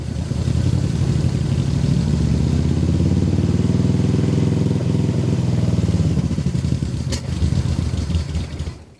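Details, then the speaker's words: Old carbureted vehicle cold start at -2 degree temperatures, broken vacuum hose and frozen sticking pedal; uneven surging and sagging toward a stall, running lean because choke was released too soon, choke eased back, then warms up and runs well. "I let off the choke too soon. Ease off of it. Okay. Slowly pushing the choke back open."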